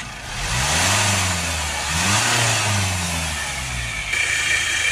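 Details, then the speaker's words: Range Rover Evoque 2.0 diesel, told elsewhere it needs an engine for a crank bearing: dry scraping grinding over the engine as it revs and drops; mechanic suspects a dry pulley (idler, alternator or AC pump), not crank bearing, unconfirmed. "f like a scraping grinding noise like a dry grinder noise that to me sounds like an alternator or maybe AC pump grinding sort of like a dry grinder nice"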